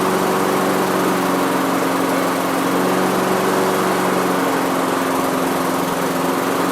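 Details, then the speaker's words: Neglected Honda HRR216 lawn mower, first run: small single-cylinder holding a steady high buzz, no obvious knocks or misfires; checking for smoke before a Sea Foam treatment; engine running, condition unknown. "i want to see you know just what it sounds like make sure there's no major smoking or anything like that"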